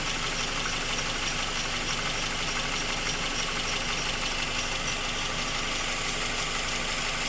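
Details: Honda K20 at idle, valves already adjusted: regular light knock about three per second under hiss, heard from bottom of engine; owner unsure if rod knock, piston slap or tensioner; engine knock at idle.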